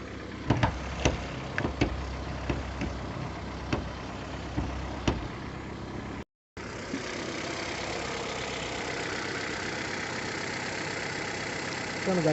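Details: 2010/11 Mexican-built Ford New Fiesta at 88,127 km: sharp, evenly spaced tick-tick at idle that has grown louder since purchase at 72,000 km and worsened after the last oil change; cause unknown.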